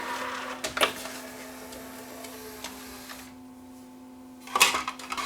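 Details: After replacing the loading belt, a Yamaha CDC-S90 three-disc CD changer from a mini system gives a light motor whir as the tray moves smoothly for a few seconds, then a firm clunk as it seats. Loading works properly.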